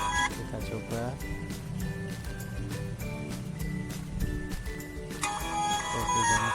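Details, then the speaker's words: Sony Xperia XZ2 (Docomo) after disassembly repair of dead loudspeaker: ringtone test plays loud and clear with no buzz, rattle or crackle — loudspeaker output restored, normal. "Oke, langsung kita tes suaranya, dan ya keluar suaranya ya. Ya, keluar. Kita tes nada deringnya,"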